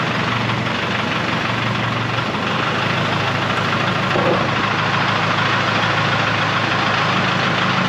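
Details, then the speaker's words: 1976 Ford F250 with swapped Detroit Diesel 453T two-stroke and 4-speed manual, sitting since 1996, first run after fuel pump work: steady, even two-stroke diesel chatter at idle, barely smoking, no misses; runs healthy though oil pressure unclear. "ain't even really hardly smoking ain't mad at that"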